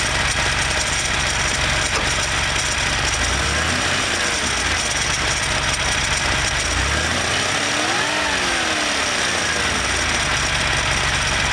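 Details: Porsche engine idling with a light, fast ticking, then revved three times; the ticking fades away at higher rpm.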